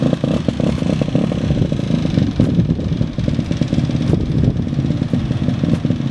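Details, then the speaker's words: Honda CRF150R four-stroke dirt bike, first start after a head rebuild for a broken valve, on choke: rough, uneven revving with loud metallic clatter and sharp clanks. It sounds clanky and only runs at heavy throttle; cause unknown. "It's running, guys. Oh my gosh. Dude, it ran. Sounds pretty clanky. And it only runs when you put the throttle like crazy."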